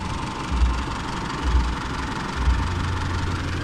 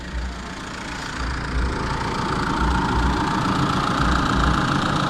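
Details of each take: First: Older Isuzu D-Max diesel, hot-engine hard-start workaround with temperature sensor T-connector pushed back in: low, even diesel clatter at about 900 rpm, no misses or hunting; engine idling smoothly and normally. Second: Old Isuzu D-Max diesel, hot engine hard to start, coolant temperature sensor unplugged as a workaround: idles about 100 rpm high with slightly lumpy uneven beat; reconnecting sensor returns smooth 900 rpm idle.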